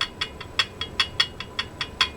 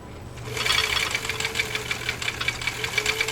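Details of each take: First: Husqvarna Viking Type 21 sewing machine stitching: sharp light ticks about five a second in time with the needle, from the extension bed rocking on an uneven workbench, not the machine itself. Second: Husqvarna Viking Type 21 sewing machine, straight stitch, stitch length 4, width 0, at speed: fast, even needle ticking with a light motor hum, no thumps or binding; running normally.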